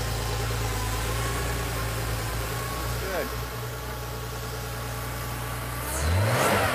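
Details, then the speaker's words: Air-cooled Porsche flat-six after a test-stand run, first running in the car on its own harness and fuel pump: even idle pulsing about four times a second, then a clean quick throttle blip. Normal idle. "really smooth. It is. That's the advantage of having it on that test stand first, yeah."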